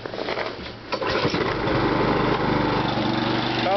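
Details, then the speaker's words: Briggs and Stratton ReadyStart auto-choke small engine, cold start at about 28°F: a few pull-rope chuffs with no levers touched, then catches and settles straight into an even steady run; clean cold start. "as you see I don't have to fiddle with any levers we're just going to pull her rope and see what it does"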